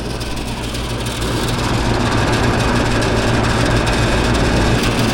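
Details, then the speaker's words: Package unit outdoor compressor tries to start but can't, a heavy low hum building as it strains and never runs; service call for a bad capacitor. "como que quiere arrancar y no quiere arrancar el compresor"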